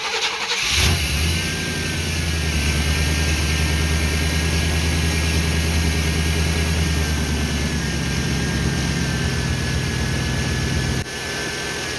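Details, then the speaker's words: 1988 OBS truck after new ignition module, cap and rotor, warmed up: catches and settles into an uneven, lumpy, stumbling idle, still misfiring as before. "Hoping as it warmed up it would clear up a little bit, but it sounds just as unhappy as it normally does."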